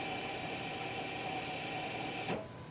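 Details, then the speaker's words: 2017 Mazda 3 electric parking brake entering service mode before rear pad replacement, chilly day: quiet steady motor whir with faint high tone, then stops; rear caliper motors retracting normally. "then I'm going to turn or push this start button three times you should hear the motor turning right"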